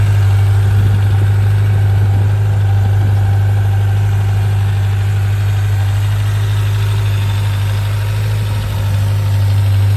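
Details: 1995 Suzuki GSX600F Katana four-cylinder with carburettors synchronised after valve adjustment, oil change, new spark plugs and correct carb vent pipe routing: smooth, even idle with steady low hum, no misses, ticks or hunting; normal idle.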